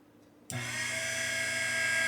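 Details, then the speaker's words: Henderson Precision Gen 3 case trimmer, first start after assembly, guard on: motor spins up sharply and holds a steady high whine with a slight motor buzz, not too bad; cutter head spinning nicely, normal running. "A little bit of a buzz with the motor, but that's not too bad. You can hear that, guys, and also you can see the collet is spinning nice."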